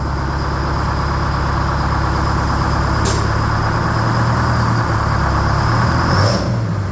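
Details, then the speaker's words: 1969 Hayes HD 6x6 with Detroit Diesel 8V71 two-stroke, just revived after 14 years parked: steady idle then quick, clean rev pickup with no misses or knocks, sounds snappy — normal rev response. "Whoa. Whoa. Sounds snappy."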